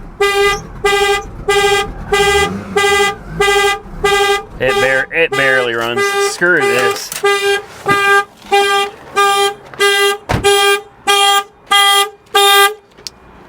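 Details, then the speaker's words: 40k-mile salvage Porsche Boxster just started: loud horn honks pulse steadily at about 94 per minute, drowning out the engine; the anti-theft alarm is triggered and would usually be cleared by unlocking with the key in the door cylinder. "great it runs but the horn won't shut up"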